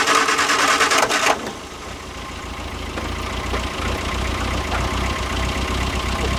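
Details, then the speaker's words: 1973 MG Midget off the road over 21 years: starter churns briefly, then the engine catches and settles into an even, steady idle; starts and runs normally. "There it is. It's running. 20-some years. Just let it idle. We're just going to let it idle for a while. Don't grab Mark. Some kinks to work out, but it runs and it idles like it's brand new."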